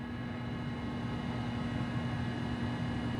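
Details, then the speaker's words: Macintosh 512K internal MFM hard drive spinning up at power-on: smooth steady hum, faint constant high whine, no clicking or grinding; normal drive spin. "let's do that there we go hard drive is spinning up wow that's crazy"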